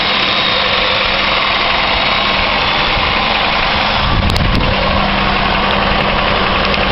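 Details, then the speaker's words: 2001 Chevy Malibu, about 300,000 km, cold idle after replacing the idler and tensioner: even, quiet hum with no rattle or tapping; old cold rattle, once blamed on piston slap, likely came from the loose idler-tensioner assembly. "I think they were saying piston slap and things like that, but this is totally quiet now."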